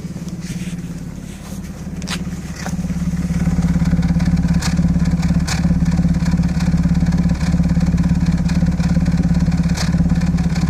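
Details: Audi A6 C5 2.7 biturbo V6 lumpy idle stumbling about twice a second, misfire on bank 2 (driver side); coils, plugs and modules swapped and compression checked; past catalyst, lambda and camshaft position sensor faults.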